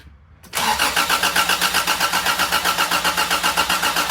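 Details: 1987 Toyota Tercel 4WD DLX with 4A-C engine swap, first start attempt after building oil pressure and powering distributor, carbureted: steady starter cranking about four beats a second, no catch; cranks but won't start, distributor timing not yet set, starter possibly staying engaged.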